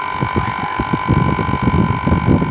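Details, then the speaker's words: Home split AC that wasn't cooling: the outdoor unit's compressor, previously not running, has now started and runs normally with a steady low hum and soft rhythmic thumping. "nah ini sudah udah terdengar seperti ini pasti juga sudah hidup kompresornya juga sudah hidup"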